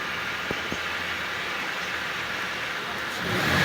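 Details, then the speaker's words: Toyota Vios Gen 3 single VVT-i idling in rain after water pump replacement; the loud noise the customer blamed on the timing chain was the water pump. Now a quiet, even idle that revs cleanly. Normal. "wala naman ah wala ng ingay mga ka-idol sa water pump lang talaga yun na dahil sa issue ng water pump na yan"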